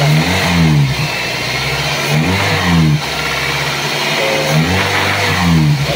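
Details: Toyota Altis petrol engine after its noisy fan belt was replaced, with a weak tensioner as the issue. About three clean revs up and down with no belt squeal or chirp: the belt drive is now quiet.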